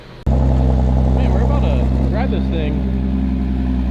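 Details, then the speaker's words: Audi S5 B8.5 manual, cold start after sitting a long while, after new EBC pads and rotors: catches instantly, settles into deep, steady, even high idle with no misses, ticks or knocks; normal cold start. "Cold start on this sounds good. Let's go ahead and let this thing warm up because it's been sitting for quite a while."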